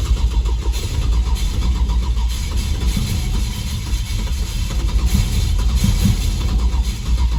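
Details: Rescued Holden LX Torana V8 (355) with carburettor, sat out in the elements: steady grinding crank with low rumble, not catching, while fuel is poured down the carby; cranking without starting.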